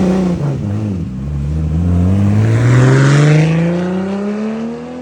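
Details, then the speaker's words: RB26-powered MK5 Supra build with a roughly 9-quart sump, before its first dyno session, with metal found in the oil filter: smooth, clean climb in pitch as revs rise and ease, no knocks or misses; healthy revving. "fucking weird hearing it from that car though. Sounds good."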